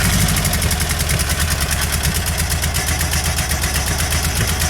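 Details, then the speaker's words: Volkswagen Beetle just started: lumpy, uneven, limping idle, running on two cylinders and only occasionally firing a third; it sounds terrible. "Oh, it sounds terrible. Yeah, you hear it's two, and then once in a while it'll give you that third one."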